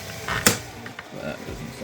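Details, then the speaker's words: 3D-printed vacuum-powered boat gear train being wound: sharp irregular clicks over quiet winding as the bevel gears skip teeth. The bevel gear bracket support is pushed backwards and the gear train is shoved sideways. "if you look closely you can see that the bracket support in the bevel gear is being pushed backwards which is causing the gears to skip"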